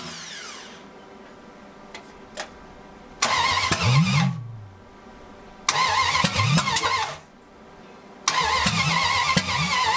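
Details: 1980 Dodge short-bed big block during cam break-in, first run in 14 years; catches three times, revs roughly a second or two then dies each time, hard starting.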